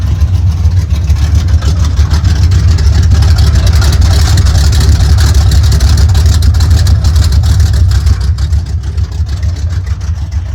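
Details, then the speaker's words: 1972 Chevrolet C10 after a used four-core radiator was fitted for overheating, running off a fuel can, recorded at the rear of the truck: deep, even exhaust burble at a steady idle with no misses, ticks or knocks. "So she's actually running off the can now. Sounds pretty darn good."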